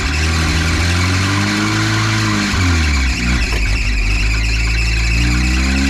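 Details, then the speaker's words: 1953 Willys CJ3B long stored, running on dirty 2-year-old ethanol fuel during first cranking attempts with choke in question: chirpy, bird-like squeal wavering in pitch over a rough, low-running engine just before it runs; source unidentified. "crank it sounds like birds"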